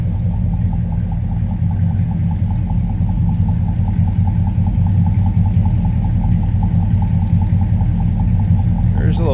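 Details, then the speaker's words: 1959 Ford Fairlane 500 Club Victoria V8 idling after start: deep even rumble with steady loping pulse, slight rumble, no knocks or misses; healthy idle with deep exhaust note. "Nice deep exhaust note."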